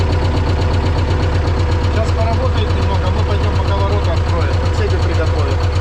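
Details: T-16MG self-propelled chassis diesel in winter at −10°C, started with the decompressor and clutch squeezed: deep, even thump at idle with a steady beat and no misses or knocks, a smooth cold idle.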